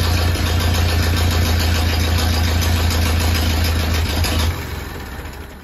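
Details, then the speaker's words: Abandoned barn-find Ferguson T20 tractor, first successful run after oil priming, an earlier attempt having backfired: steady even low idle for several seconds, then shut off and winds down; revival a success. "and it was a big success so now I can go on with the rest of the stuff here"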